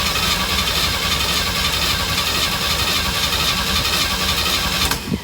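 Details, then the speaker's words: 1965 Chevy van, six-cylinder, sitting about 50 years, gas poured into the carburetor bowl, choked: five seconds of steady cranking, never catching; owner suspects flooding. "I need to let it choke off. I don't know. Maybe I flooded it."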